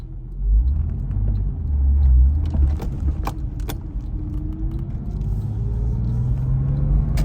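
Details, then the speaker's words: Porsche on a test drive before purchase: the engine rumble rises and falls through the gears, with sharp metallic rattles and clatters at each shift. A warning light beeps; the source of the rattle is unclear. "a bit of a rattling noise here"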